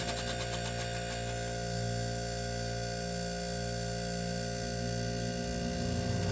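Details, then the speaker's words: 1978 Gibson Air Sweep 5900 BTU window air conditioner with reciprocating compressor, blowing cold: steady low hum with a wavering throb; the condenser fan blades are out of balance and need balancing. "I'll bring this to the uh the air conditioner meet hosted by the air conditioner guy so I can get this issue fixed yeah the condenser fan blades may need to be balanced"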